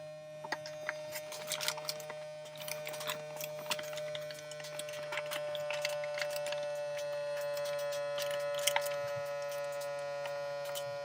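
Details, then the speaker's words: USB vacuum pump for 3D-printer filament storage bags, running while sealing a bag; a quiet, steady hum with a constant mid-pitched tone and light ticking, which is normal running. "You also hear the noise, how loud it is. It's decent."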